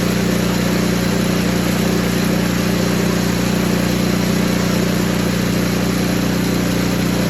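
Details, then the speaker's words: Poulan Pro 961980056 snowblower after dirty carburetor cleaning: small single-cylinder engine holds steady, even idle with regular beat, no misses or knocks; running normally, though some bad gas may remain in tank bottom. "so it did get running it's running right now you can probably hear it outside I'm gonna let it run for 15-20 minutes"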